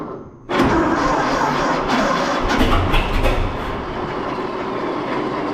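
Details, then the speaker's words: 1926 Seagrave city service ladder truck, 1013 cu in "F" six-cylinder, first start in 10+ years after long sitting, fuel fed to carburetor; catches then stumbles and sputters unevenly, never steady, flooded on too much gas; owner also suspects a valve stuck open. "i think we got too much gas so i'm gonna i'm gonna stem the tide of fuel here"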